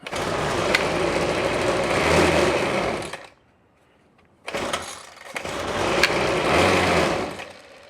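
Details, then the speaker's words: Trash-picked Ryobi 25cc two-stroke string trimmer: revs raggedly, then dies away, restarts and surges. It runs very lean and won't keep running unless on throttle; carburetor suspected. "how it runs is incredibly lean"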